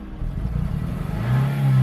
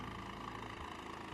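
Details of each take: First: 2007 Honda Civic Hybrid, dual-spark-plug engine: the misfire was absent when the car was inspected the day before buying but is now clearly evident; a low, uneven note stumbles as it revs and settles back. The cause is unknown, and a compression test is planned. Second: 2007 Honda Civic Hybrid, dual-spark-plug engine, heavily cosmetically damaged budget car: a short stretch of smooth, even idle with a steady low thrum and no misfire stumble.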